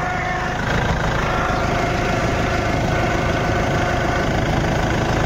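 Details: Toyota Innova at idle with the steering turned to lock: a faint steady whine over the idle. No power-steering oil leak or loss, steering free and not hard; power-steering noise, source unconfirmed, steering to be opened and serviced.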